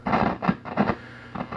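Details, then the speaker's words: Late-1970s Fender Pro Reverb, master-volume version: irregular crackly scratches as the control turns, from a dirty master volume pot. It behaves normally with the master turned fully up. "master volume putts a bit dirty but if you run the master wide up and then it acts like every other amp without a master"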